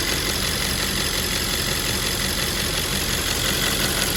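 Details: 2010 Audi S5 4.2 V8 idling after replacing a faulty fuel purge valve that caused ticking: even, steady idle with no stray ticking or misses; sounds healthy.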